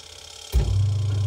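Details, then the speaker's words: Top-load washing machine with timer switched on: steady unloaded motor hum with no pulsator movement; sound present but wheel not turning. "इसकी आवाज आ रहा है लेकिन चक्का नहीं घूम रहा। ऐसे कंडीशन में आप अपने मशीन को कैसे ठीक करोगे?"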